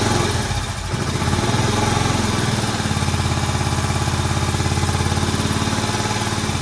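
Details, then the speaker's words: Barn-find Moto Guzzi single after head work, first run since the mid-80s: settles into a steady, even thump of about 3.5 beats a second, a bit smoky; idling healthily but needs some adjustment. "He lives. And I'll tell you what, that engine doesn't sound too bad. Smoky a bit, it's understandable."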